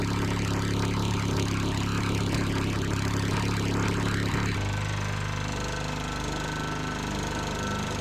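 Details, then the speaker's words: Sears Eager One mower with Tecumseh single-cylinder engine after makeshift knocking-rod repair (beer-can metal shim), throttle halfway, oil added to rings: idles to a steady, even beat, no more bottom-end knock, rolls over easy. "No more knock. You gotta love that. And it rolls over easy."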